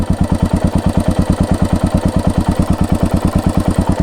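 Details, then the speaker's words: Royal Enfield Hunter 350 single-cylinder at idle, engine hot after riding: thumping about eleven beats a second with a light metallic clatter on each beat, suggesting top-end ticking, worse when heated; cause suspected, not confirmed. "अभी check करो guys कैसी आवाज आ रही है खनखन खनखन कीवा देख रहे भाई आइडल की आवाज सुनो भाई"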